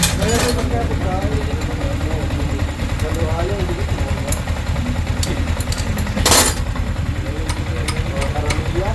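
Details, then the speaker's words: Yamaha Sniper 155 at 24,997 on the odometer, after cam chain tensioner replacement: steady, even single-cylinder putter with no ticking or rattle; the engine is quiet again. "mga boss, tahimik na ulit yung sniper niya."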